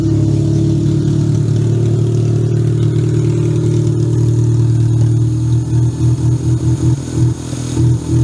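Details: Toyota Camry demolition derby car, previously no-start, after fixing a cut security-system wire, started with booster pack: deep even drone with steady firing and a few light throttle blips; runs cleanly, no misfire or knock.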